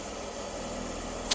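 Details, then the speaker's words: BMW E46 330i at idle after new spark plugs, new coil boots and a fixed idle air control valve. Even, steady hum with no stumble or miss; a smooth idle with no exhaust smoke. "oh my goodness that is so smooth guys I don't even think this car needs a breather had to open up the garage there but listen to how good this thing is running"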